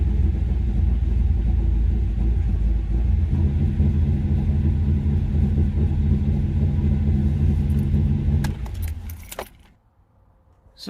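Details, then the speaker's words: 2004 Jaguar XKR V8, first start after sitting a few months during a front-end refurbishment, with fault codes and low battery voltage: lumpy, uneven idle as if running on six or seven cylinders; an intake air leak is the suspected cause. "As you can probably hear, that doesn't sound very well."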